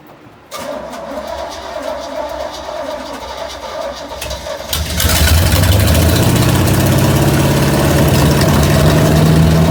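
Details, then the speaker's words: 1969 Pontiac GTO 400 with a 3-speed, sitting since 1978, first start in about 40 years with the carburetor still needing a rebuild: cranks a few seconds, then catches into a steady, strong idle that climbs slightly. Normal start and idle. "sounds good yeah dude it sounds really good but just idling dude"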